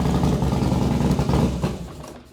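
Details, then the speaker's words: 2012 Harley-Davidson Dyna Street Bob big twin after a new fuel pump assembly replaced one not priming enough: fires and settles into a deep, even low thump with no misses or rattles; normal idle. "so called Harley got a fuel pump assembly put that in and she fired right up"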